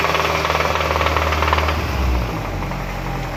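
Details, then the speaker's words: Hyundai Sonata 2.4 under repeated revving: a loud, heavy knock hammering about twice a second over the running noise; a deep internal knock, suspected to be in the pistons beyond the timing chain and valves, unconfirmed. "Приехала очередная машинка со звуком, со стуком в моторе."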